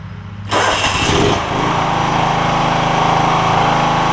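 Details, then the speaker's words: John Deere LX172 Kawasaki FC420V, loud start backfire seemingly fixed by new ignition coil, igniter and spark plug: brief cranking, catches cleanly, settles into steady even run with no pops or bangs; normal start and idle. "so it was something ignition related on this machine it seems like so I put an ignition coil in it an igniter and a spark plug and that seems to have done the trick"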